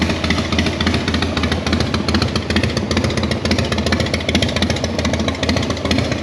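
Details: Sturgis motorcycle after carburetor float valve leak fix, started on choke in neutral: even unbroken idle beat holding steady with no misfire or hunting; normal idle.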